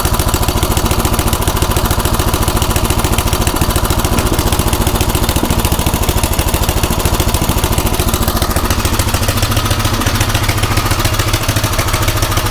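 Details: Craftsman rototiller single-cylinder on a new carburetor, drilled out one size and idle screw turned in about 1.5–1.75 turns, tried at full throttle, half choke and full choke; slow, fairly even chug of about three to four firings a second, idle still too low.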